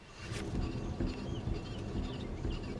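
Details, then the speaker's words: VW Golf 2 rear wheel bearing at end of life, which gave a loud dull rumble like riding a tram while driving: deep, rough growl with dull irregular knocks. "écoute ça c'est pas bon ça grogne et ça tape là c'est vraiment à un roulement qui arrive vraiment en fin de vie"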